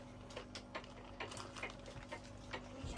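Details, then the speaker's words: Onan MDKD marine genset water pump, shaft turned by hand: gritty, uneven clicking about three a second from a rough, worn bearing; jammed impeller pieces had restricted water flow, pump being replaced. "Do you hear that sound? That's the sound of An unhappy water pump."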